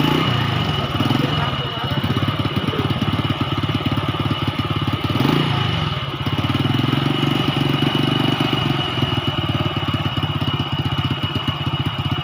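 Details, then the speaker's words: Four-stroke motorcycle after manual valve (tappet) adjustment, engine running: even, steady low idle thump with no top-end ticking that was loud before adjustment; aftermarket replacement exhaust gives a raspy, less pleasant note. Normal idle. "ya jadi setelah kita setel tile punya seperti ini ini memang motor knalpotnya juga knalpot asli knalpotnya sudah ganti knalpot biasa jadi bunyinya memang kurang bagus"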